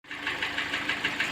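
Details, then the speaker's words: Hyundai ix35 G4NA engine, about 140,000 mileage, two owners: sharp, even knock about six times a second over idle, worsening with throttle, smoke from oil filler; scored cylinder, engine removed for overhaul. Piston knock from scored cylinder. "нормально стучит а газу подаешь он еще больше начинает стучать"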